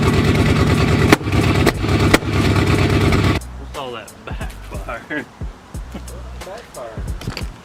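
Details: Freshly installed forged 4.6L 2V V8 on original injectors and old tune, start-up during break-in: rough loud running broken by sharp bangs about half a second apart as it tries to catch; backfiring, cause unknown.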